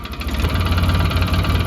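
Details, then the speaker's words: A 2007 Polaris Ranger 700 idles at about 1080–1090 rpm after TPS and idle adjustment, with a steady, even thrum. It no longer dies when coming off a rev; normal idle. "so I got my idle set about 1080 1090 I did that while this was running and uh played with the TPS a little bit this is not the correct way to do it I am going to check the voltage right now to see where it landed but it seems to be idling at a better speed not dying when it comes off a REV"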